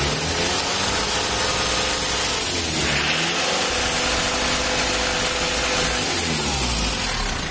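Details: Mitsubishi L300 diesel with white smoke, valve clearance out of spec and air filter clogged: revs rise and fall with coarse crackly roughness, thick smoke and vibration at 2,500–3,000 rpm; rough running from incorrect valve clearance.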